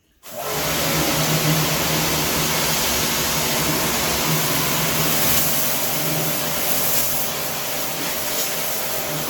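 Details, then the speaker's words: Pumkin Chicaco high-pressure washer, originally with no pressure, tested after repair: steady, even motor-and-pump whirr with a fine spray hiss, no knocking or surging. Pressure is restored, works as before and is adjustable. "ฮะโอเคครับเพื่อนก็เช่นเดียวกลับมาแรงนะครับแล้วใช้งานได้เหมือนเดิมแล้วก็เลยนั้นก็สามารถปรับนะครับเร่งเบาได้"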